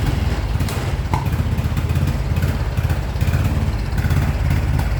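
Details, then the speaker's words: 2014 Honda Wave110i, hard to start, dies when throttle is released, won't rev. Single-cylinder engine putters and stumbles unevenly at low revs, never settling into a clean idle; spark plug and MAP sensor were fine. "คันนี้นะครับสตาร์ทติดยากนะครับและผ่อนก็ดับนะครับบิดก็ไม่ขึ้นนะครับวูบๆนะครับ"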